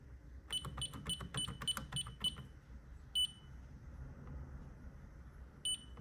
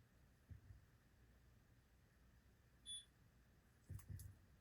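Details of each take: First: Ademco 6139 keypads on a Vista 10SE alarm panel powering up: bursts of about six quick, high, evenly spaced beeps, pauses, then more; normal start-up beeping, though loose wire nuts are suspected in the setup. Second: Ademco 6139 keypad on a Vista 10SE panel, data wires held onto terminals: single short high beep in a quiet room followed by handling knocks; keypad beeps but isn't communicating, possibly open circuit, cause suspected, not confirmed.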